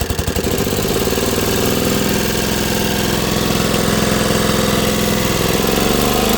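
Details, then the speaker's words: Dixon ZTR Kodiak SE mower first start after charging, choke on, half throttle: small engine runs lumpy and uneven at about three beats a second, then keeps shutting off and won't restart; rough running, cause unclear. "No starting. No, this thing is all sorts of messed up."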